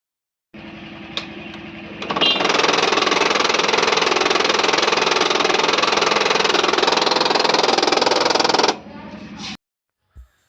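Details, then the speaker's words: HP LaserJet 1005 printer motor: loud gritty buzzing rattle with steady chatter about two to three per second when the motor starts; worn motor drive gear (pulley), fix is replacing it. "अपनी आवाज़ तो सन ली होगी कैसी आवाज़ ए रही है से printer जैसा इसमें आवाज़ ए रहा है वैसे आपके प्रिंटर्स में से भी आवाज़ ए रही है सिंपली आपको यह गियर बदलना है जो गैर आपके स्क्रीन पर ए रहा है जिसको हम लोग पुली भी कहते हैं"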